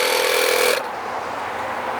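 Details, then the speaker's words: Tire before a race: sharp steady hiss of escaping air that drops off abruptly, then a fainter hiss continues; the puncture still leaks even after sealant goo was added. "so we just added a bunch of goo into the tire but it's still leaking"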